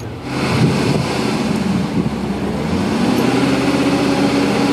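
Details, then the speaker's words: Older Chevy Tahoe, rough running, long crank, needed throttle to start, smells of fuel: uneven, lumpy idle with dropped firing pulses, not running on all cylinders; compression problem suspected. "Crank's funny. Hardly starts. I hear I hear a compression problem. I had to give it gas to get it to start to basically like almost like a flooded condition."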